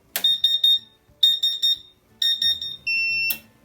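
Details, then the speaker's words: CW-5000 water chiller for a laser cutter after its shorted water pump was replaced. At switch-on, three quick high beeps repeat three times, then a steady tone: the normal startup alarm before the pump runs. "so now when i turn it on it'll have the alarm for just a few seconds and then you'll hear the water pump come on and the it'll display the temperature"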